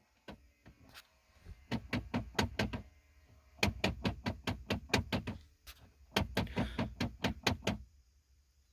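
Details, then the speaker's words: 2005 Nissan Titan 5.6 L V8: rapid bursts of sharp plastic slapping/knocking behind dash each time the climate knob is turned, faulty blend door actuator, fixed by replacement. "let me show you what I mean to if I spin this one you're gonna hear some kind of a sound like slapping or knocking"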